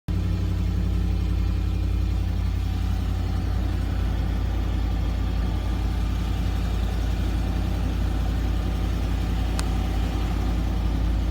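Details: Land Rover at idle after its power steering pump was replaced: a steady low engine drone with a whirring from the new steering pump that swells near the end; power steering pump noise.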